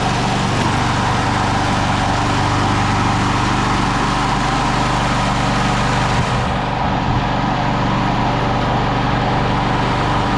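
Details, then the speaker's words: 1999 Craftsman push mower (mulcher), Briggs & Stratton 6.0 hp Quantum, primer start, 25 years old and barely used, first start in over 20 years: steady, even single-cylinder beat with no misses, knocks or surging, slight smoke while warming; running normally. "We'll just let it run for a few minutes. She's got a little smokiness going on. Let it get hot and quit smoking."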